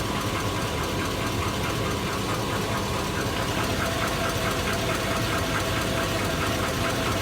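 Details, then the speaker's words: 2002 Chevy Avalanche V8, warm: fast, loose knock of two to three per second over the idle despite good oil pressure; owner suspects rod bearing, with piston slap, exhaust leak or valve tick also raised. "arrived bearing that good oil pressure but she's got a pretty good knock let me know ugm fans should I get rid of her I think so she does not sound too good"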